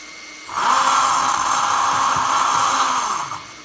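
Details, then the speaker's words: Lesu SK500 LC RC excavator rear track drive motor, after disassembly and reassembly: steady high whine, louder and rougher than normal; the motor shifts 1–2 mm when spinning fast and its housing rubs the cover (worse in reverse), leaving an indentation; motor is fixed, no adjustment, owner plans lubricant. "and as I just looked in here I can see this little indentation here is from where this is actually rubbing up against here so I don't think there's anything I can do about that cuz this motor is fixed there's no adjustments"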